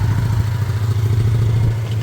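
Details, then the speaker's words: Small single-cylinder Chinese 125 motorcycle (Lexmoto Michigan or Herald Classic 125), freshly started after a no-start (spark good, fuel suspected). A deep, steady low thrum with an even beat and no knocks or rattles. It is a normal idle, warming up to circulate oil. "all right that's not bad not bad let me get it up to Temp and just let it all circulate the oil"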